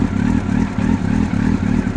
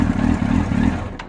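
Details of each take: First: 1999 Yamaha R1, carbureted, cold, on a stand: idle throbs in a bouncy rhythm about three times a second but keeps running; it previously died after three seconds, and the fault was traced to a failed neutral switch. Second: Motorcycle in neutral, no codes, after fuel pump, filter, lines and battery replaced; fires and runs lumpy about a second then dies, won't rev; owner suspects neutral switch. Engine stalls shortly after starting.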